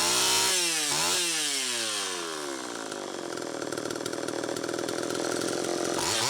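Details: Homelite Super EZ chainsaw after the carburetor was fixed and the high needle reset from about four turns out to one; revs climb and fall then hold a high hunting scream, lean, tuning changing as it warmed up. Crankshaft seal air leak suspected.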